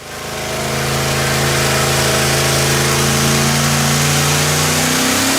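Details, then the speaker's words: Quad-turbo LS V8 on an engine dyno running pump gas, under boost: a rough, ragged roar with a steady misfire. Two cylinders were dead from a bad coil and plugs; trimming fuel alone gained about 200 hp. "s of boost and you could hear this steady miss now that the boost pressure was up and that's when we investigated the plugs and found the other coil"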